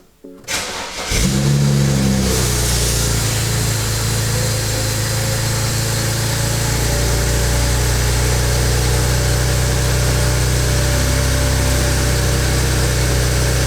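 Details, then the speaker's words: 2008 BMW 335i N54, after installing bucketless Walbro 450 LPH E85-capable fuel pump (stage 2): quick crank, clean catch with brief rev flare, settles into smooth, steady idle with no misses; working perfectly. "good, working perfectly."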